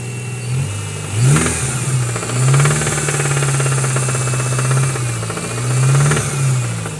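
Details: Honda Accord 5 (CC7) engine, no check-engine light: revs up and down twice with a rapid ticking-knocking patter that quickens with rpm; knock of unknown origin.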